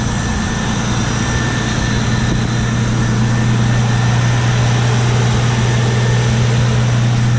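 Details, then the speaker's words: Nissan R34 GT after turbo conversion, first start: steady, even low drone with no misses or surges, smooth idle while warming up; MAP had to be hooked up for it to idle, otherwise it kept dying. "Go ahead and um start it up. Sounds good. Idling smooth."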